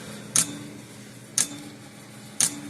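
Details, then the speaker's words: 1950s-60s Parmac-made Sears 6-volt mechanical fence charger on about 5 V supply, after earlier point cleaning: sharp crackling snap about once a second; the interrupter points are dirtying again, arcing and blackening the contact. "Yeah, see the point's starting to dirty up again. It's arcing down here on the points there."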